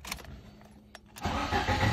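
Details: Lada Priora engine start after ignition lock replacement and new key chip programmed: quiet ticking, then engine catches at once and settles into even, steady run; normal engine start.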